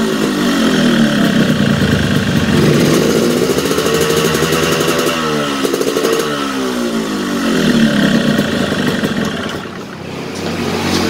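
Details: Yamaha RX-King two-stroke, newly bought, new original exhaust: wet, burbling, clattery note pulling sluggishly through low revs, sounds rich; weak low-to-mid rpm bogging, cause suspected, not confirmed.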